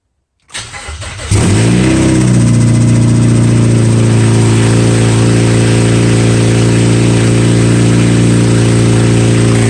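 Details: 2007 Mazda 6 2.3L, straight-piped with no cats or mufflers: cranks, catches with a loud flare, then settles into a harsh open-exhaust idle with a faint steady knock; rod knock suspected, not confirmed.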